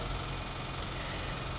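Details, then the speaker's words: Freshwater-flooded Kia/Hyundai sold as a runner; owner thinks the engine sucked in water. Rough idle with a dull, uneven knock under the engine drone; cause unconfirmed. "that ain't good is it yeah that's going to be a hard sell just be like hey all Kia make that noise all right all Kia and Hyundai make that noise it's perfectly normal"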